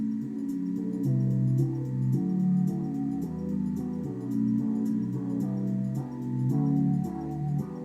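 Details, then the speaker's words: Sony DHC-MD373 hi-fi with TC-TX373 cassette deck playing a demo tape in reverse direction: music sounds dull, boxy and muffled, with weak low end and no clarity, though the deck works; muffled playback, cause not confirmed. "Yeah, that does sound quite a bit muffled. It's low end is not very good on that. It's not very clear, but it is working."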